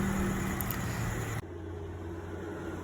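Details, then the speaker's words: Toyota Innova AC compressor at idle after it was serviced for a growling noise: a steady low hum with no growl, then a clean drop as the load changes with AC switching; it now runs smooth, with no more growling. "ini setelah dilakukan servis kompresor dan hasilnya halus suaranya sudah enggak ngorok lagi"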